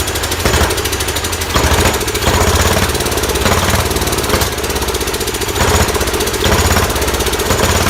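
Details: Large Kohler K331 single-cylinder engine on its second start, muffler just fitted, running on sprayed carb cleaner: a fast, hard chatter with sharp pops about every second as it backfires through the carburetor, but it runs well.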